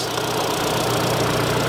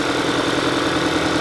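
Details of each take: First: 2022 Kia Sorento after cylinder 2 misfire diagnosis and code clearing: steady, even idle hum with no stumble or tick; runs fine, no misfires, normal idle. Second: 2022 Kia Sorento with check engine light flashing and misfire codes; idle has a steady, evenly spaced stumble on cylinder 2 while the ignition coil shows pulse, traced to a dead injector; cylinder misfire.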